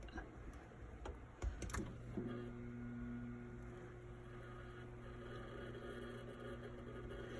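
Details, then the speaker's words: Watts Premier Zerowaste reverse osmosis unit pump, powered directly, runs with a steady low hum and slightly labored note, vibrating; straining likely because the solenoid is stuck closed, so pump itself is fine. Cause suspected, not confirmed. "It is straining a little bit, but that's probably because the solenoid is stuck closed. So the pump does run. It vibrates and moves a little bit when I put power to it."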